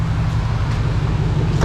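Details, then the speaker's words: Chevy Monte Carlo SS bought from a Copart auction, which has an exhaust leak: deep, even V8 rumble with no knocks or ticks standing out; engine sounds good; normal running. "Engine sounding good. Hey, I ain't gonna lie, this motherfucker engine sound. This motherfucker sound way better than my damn engine."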